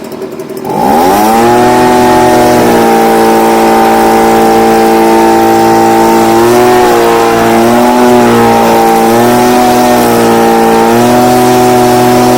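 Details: Stihl BG55 two-stroke leaf blower, formerly no-start, on new C1Q-S68G carburetor replacing a torn-diaphragm carb, during carb adjustment: fires, then screams at a steady high pitch with brief dips and recoveries; starts and runs strong.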